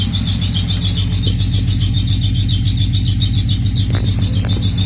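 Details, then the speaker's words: Nissan G project car at its first start, with knock sensor and camshaft sensor problems found afterward; steady idle with a thin high squeal riding over it throughout, source unidentified. Squeal at idle. "well she's a little squeaky but she running"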